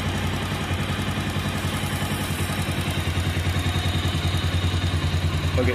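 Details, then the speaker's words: Motorcycle after tensioner adjustment and tightening a bolt to stop an air-leak sound: steady thumping idle, head noise gone but a slight tick remains, expected to go once the tensioner is replaced; normal idle. "பார்த்தீங்கன்னா தெரியும் உங்களுக்கு சவுண்ட் வந்து சுத்தமாக அரெஸ்ட் ஆகிடுச்சு. ஆனால் லைட்டாக மானிட்டாக இருக்குது."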